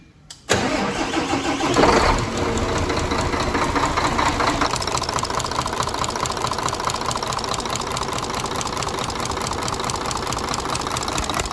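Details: Mercedes Axor OM457 truck diesel after valve adjustment cranks, catches and settles to a clattery idle with an uneven valvetrain knock; valve clearance increased again after starting, endoscope showed roller tappet turned 90 degrees, failed.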